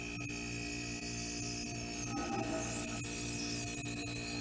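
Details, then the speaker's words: Converted kegerator after refrigerant recharge without vacuuming lines, part frosting up; steady electrical hum with tonal whine and faint ticks about once a second, owner suspects air in the line. "it's making some weird noises, and I don't know if there's air in the line maybe."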